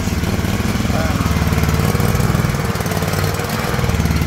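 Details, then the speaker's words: John Deere LX178 riding mower engine, old carburetor, fuel shut off to burn off carb and warm up before oil change: lumpy, uneven low chugging with stumbling beat at idle, running really rich; carburetor faulty, replacement ordered. "carburetor is oiled and oiled ordered to be here today here it's running like garbage really really"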